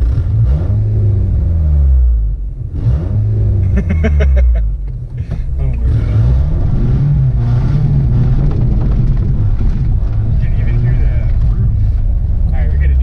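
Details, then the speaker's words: Crushed Toyota RAV4 used as a cheap rally car on dirt trails and jumps: deep, loud rumbling drone rising and falling with revs, much louder than normal because the exhaust is hanging loose off its mounts. "well guys the exhaust is starting to hang off i'll show you that in a second but"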